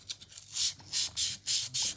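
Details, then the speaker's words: Krytac Kriss Vector GBBR Bowmaster receiver plate groove before sanding, run back and forth: harsh, gritty, uneven scraping compared with the groove smoothed with 1200 wet-and-dry paper; the extremely rough coating is being removed so the bolt carrier slides smoothly. "You can hear the difference. It's quite substantial. So, the idea of this is we're just removing the coating which is on here."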